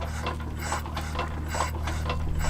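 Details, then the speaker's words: Cessna 140 aircraft engine, throttle closed, being pumped by hand to prime before hand propping; repeated soft sucking slurps at the carburetor, normal priming, about four pumps per cylinder. "You hear a little slurping sound. And if the throttle is closed, that's the maximum amount of suction you'll get, and it'll pull fuel right into that engine, prime it, and get it ready to start."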